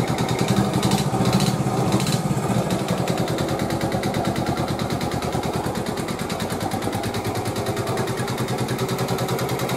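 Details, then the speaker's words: 1986 Honda TRX 70 after a top-end rebuild, at idle. A sharp, regular knock rides over each firing stroke; first blamed on the valves, it was found after teardown and cylinder measurement to be piston-to-cylinder wear. "That Knocking was not the valves"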